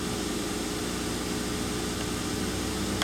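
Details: 2003 Mercury Sable 3.0L DOHC V6, after repair of P0171/P0174 system-lean codes, warmed up in closed loop with fuel trims settling toward zero: steady, even idle hum with no hiss or stumble; normal idle.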